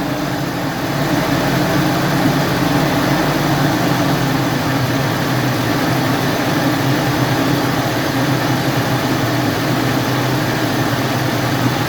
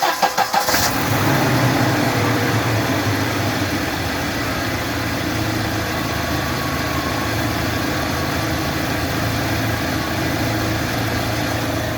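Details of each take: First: 2017 UAZ Patriot, cold engine after standing about 1–1.5 hours, revs raised slightly then slowly lowered to idle while hunting a knock: smooth even idle with a faint steady hum that seems to come from the alternator, judged normal, no knocking. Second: 2017 UAZ Patriot cold start after standing an hour to an hour and a half, checking an unexplained engine knock: the engine fires and settles to a steady idle with a fast, light knock ticking through it; cause unknown.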